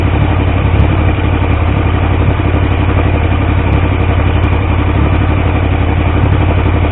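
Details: Triumph T150V triple freshly rebuilt (head and cylinders off for oil leaks): steady even idle, low throbbing beat, slight top-end clatter, no knocks or misses; oil pressure around 40 psi under 2000 rpm; normal idle, leak-free.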